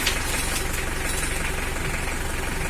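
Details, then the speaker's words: Mitsubishi L300 diesel before injection pump adjustment: harsh, rapid tok-tok knock at idle, rough and noisy with weak power, because the injection pump setting is out of adjustment. "terdengar ya Bunyi tok tok tok tok tokah itu yang dikatakan mesin setelannya tidak sejalan tu guys"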